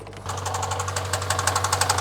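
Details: 2000 Honda Civic coupe, 233,350 miles, sat about two years: sharp, loud metallic knocking about ten per second over a rough idle; bottom end worn and needing replacement.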